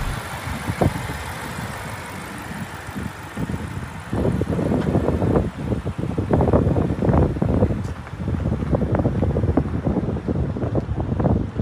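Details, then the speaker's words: BMW 650 with 72,000 miles at an auction, the age where the timing chain gasket is a concern: quiet for four seconds, then the engine catches into a steady idle with a few throttle blips and sounds good. Normal start and idle. "yeah sounds good"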